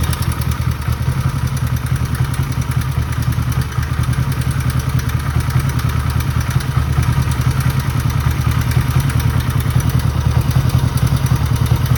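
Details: 1969 Honda CB350 K1 twin idling steadily with a faint light rattle over its low lumpy beat; engine knock, cause unknown.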